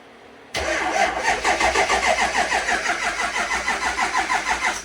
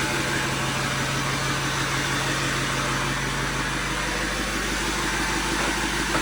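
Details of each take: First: Jeep XJ off-road rig cranking with the front wheels off the ground: laboured, even cranking about three beats a second that never catches; battery dead, slow cranking from a weak battery. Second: Overkill XJ off-road rig after fixes and a dead-battery start: fairly even idle with rough, hissy background, no obvious knock or grind; sounds ready to drive.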